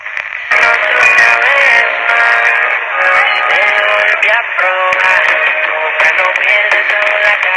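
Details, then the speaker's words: 1962 Emerson 707 transistor radio, tuned Saturday night to a local AM bluegrass station: clear music and singing, steady, with little static or fading; normal AM reception. "okay that's Saturday night and uh a local station plays bluegrass"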